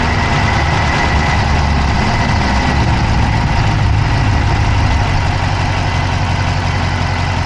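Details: Dodge Charger Hemi V8 at idle, recorded inside the passenger-side engine bay: a quick, light ticking over the low idle rumble; an engine tick whose source is not pinned down.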